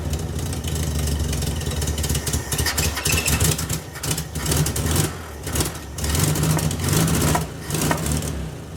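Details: VW Beetle with new Pertronix distributor and coil: catches and idles unevenly, revs surging and sagging before faltering and dying; timing closer to right, owner suspects carburetor way off; rough idle with stalling.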